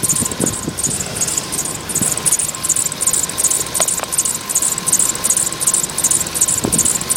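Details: Polo Sedan: thin, steady high-pitched whistle over a rattly idle with a fast chirping pulse, like a slipping accessory belt; belt squeal suspected, not confirmed.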